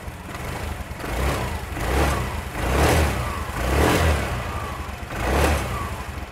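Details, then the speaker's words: Automatic scooter that ran but would not move, suspected broken drive belt, after disassembly and freeing a seized part in the CVT: engine catches and is blipped in smooth swells about once a second, with no knocks, rattles or slipping whir; healthy. "Sudah halus, jadi sudah tidak ada yang bermasalah lagi."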